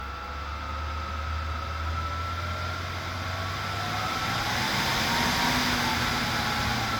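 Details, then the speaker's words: Cheap 12 V vent fan (two fans, run from a battery through a dimmer) for a teardrop camper: a thin steady motor whine rides over the airflow hiss at low speed and stops at higher speed. "you get up on a higher speed, the whine stops, but on low speed, so you can see a fan jump whenever it gets some juice."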